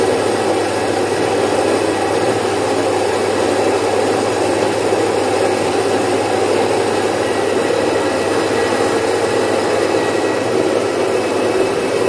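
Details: Domestic single-phase 1 HP stone flour mill grinding about 5 kg of moong into dal: a loud, even roar with a steady grinding hum, no surging or knocking; it runs normally and finishes in about three to four minutes.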